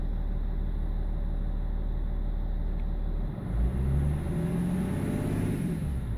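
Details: BMW E46 330d M Sport diesel with lumpy idle and judder around 1500 rpm; INPA shows injector 6 needs changing ASAP, injectors 1, 2 and 4 also off: idle with uneven, stumbling beat, then a short rev; rough running from a failing injector.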